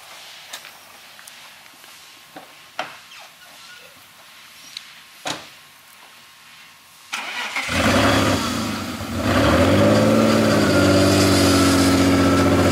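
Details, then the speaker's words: BMW E46 drift car after sitting outside 4-6 months: cranks, catches and idles with a slightly uneven, stumbling beat; codes show misfires on cylinders 2, 6 and 3, owner suspects oil from leaking valve cover, unconfirmed. "So we're gonna pull it inside because it has a little bit of a misfire, and we're gonna try to diagnose that."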